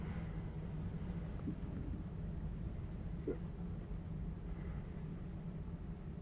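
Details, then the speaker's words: CDL air brake leak-down test, brakes held firmly after building pressure to governor cutoff: only a steady low rumble, no hiss or whistle, gauge steady; no air brake leaks. "so far everything looks good there are no leaks that I can hear and my gauge has not really moved"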